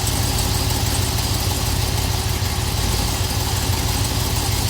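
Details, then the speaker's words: Camaro after rear thrust washer replacement per TSB, shifting between drive and reverse at idle with foot on brake: even, steady idle with no clunk or click; the earlier rear-end click noise is gone and driveline engagement is normal. "It's kind of weird. The noise is gone though. I'll be damned."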